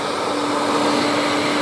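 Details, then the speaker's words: Scrapped vacuum cleaner from the tip, running on high: a steady high motor whine with no beater-bar thrash. The brush roll isn't turning; the owner suspects a snapped belt. "Brush roll's not turning, the belt might have snapped."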